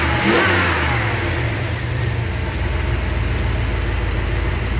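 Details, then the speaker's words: 383 stroker V8 in a truck after engine repair, warming up outside: a brief blip then a deep, steady, even idle burble, running smooth with no leaks underneath, only a few small exhaust leaks; base fuel pressure set. "it seems to be running good and smooth and there are no leaks underneath the few exhaust leaks that I can deal with those in the bed"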